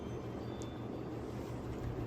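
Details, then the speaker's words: Restored 1936 Emerson 86641-AA 36-inch electrically reversible ceiling fan, rotor freed after seizing, balanced with four blade weights, on high speed: steady, even low hum with slight motor whine while coming up to speed, no wobble or ticking; running smoothly. "so let's do the highspeed these all have a little bit of a motor wine getting up to speed so I'll uh see if you can hear that"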